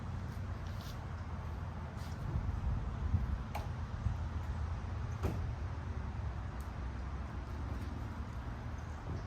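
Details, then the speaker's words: Camaro Z28 project, first start after three years of work: deep, steady low rumble with even beat, no knocks or misses; engine idles smoothly, runs, drives and goes into gear. "all right that sounded way better that was the first start car does run and drive off camera"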